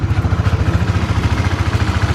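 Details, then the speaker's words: Honda CB150X, stock engine, 24,000 km over 2+ years of daily use and touring: steady even single-cylinder idle thump with no tapping or knocking (known clatter problem absent); still smooth and healthy. "masih halus ya, masih halus guys."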